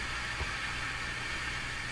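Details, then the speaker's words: Hammarlund HQ-100A communications receiver during broadcast-band alignment: constant hiss with a faint high whistle and low hum; steady background noise, suspected house interference, origin unknown. "Interference from the house, tuning effect in the radio, so it's more sensitive right around here."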